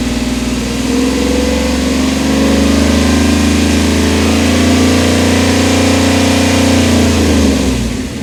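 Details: 1997 Dodge Ram 1500 5.9 360 Magnum V8 after harmonic balancer replacement: smooth, even idle swelling into a clean rev and settling back, no knocks or wobble; owner loves the sound, normal idle and rev.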